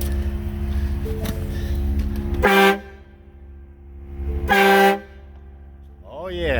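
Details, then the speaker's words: 2025 Ford F-350 STX with a Viair 350C compressor newly boxed in the truck bed, fed through a 50 ft hose: two firm half-second honks with a clear steady tone over a low idle; the air horn works fine. "that works fine. We're going to call this one a win."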